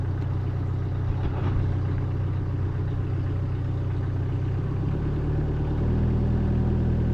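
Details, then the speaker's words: 2018 Bobcat E26 mini excavator diesel at 1869.4 hours, restarted after a battery replacement and a month unused: uneven wobbling idle that steps up as it catches; owner suspects fuel drains back, briefly starving it. "engine sounds like it's running a little rough. Seems like it does that when it hasn't been ran in a while."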